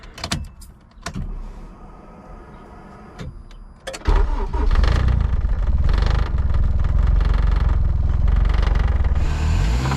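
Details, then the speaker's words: K24 turbo-swapped Honda EG hatch with a spun bearing, oil pressure having dropped to 14 PSI at 8,000+ rpm: a few loose clicks, then a light rev with dull rapping under the exhaust roar; likely rod knock, pretty loud inside the car. "14 PSI at 8,000 plus RPMs definitely is calling for a rot knck so I revved it up just a little bit just to see if I can get some noise for you guys but I can ensure you inside the car it's pretty loud now"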